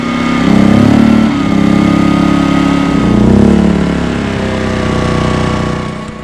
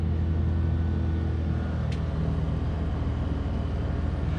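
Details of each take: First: Small Duromax 2000 W inverter generator starting a Coleman Mach 15k BTU RV rooftop AC without a soft starter (before the EasyStart 364): the engine suddenly bogs, pitch sagging and wavering, then drops back. The AC starting current overloads it. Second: Duromax XP2000EH 2000 W inverter generator running on propane (intake just cleaned of sawdust), powering a 2004 Winnebago Minnie's Coleman Mach 15k BTU rooftop AC fitted with a Micro-Air EasyStart 364 soft starter; deep steady hum, no hunting, AC blowing cold, normal running under load.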